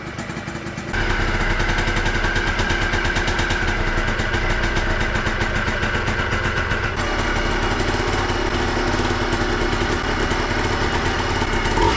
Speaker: oh all right she fired right up she sounds good she sounds nice and tight she idles right away everything checks out to be good